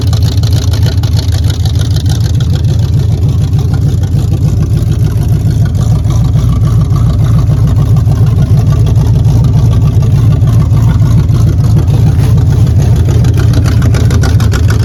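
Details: 1978 Chevy Camaro second gen, no choke, started on a freshly charged battery at about 45°F after failing at 16°F: the V8 settles into a steady, deep, even idle with no misses or knocks. Healthy.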